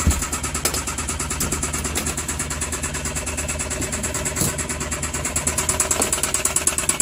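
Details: Suzuki K6A engine at rough idle with uneven sharp knocks about three a second, from a damaged cylinder liner and piston.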